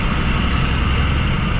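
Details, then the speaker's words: Hotshot pickup with an NV5600 or NV4500 manual gearbox towing a 15,000 lb trailer: heavy deep drivetrain drone under load with a coarse gear growl over it; a loud gearbox that still feels smooth. "these nv 5600s or nv-4500 sound terrible if you guys can hear that okay that's silent that's brutal i hate the sound i hate the sound of this"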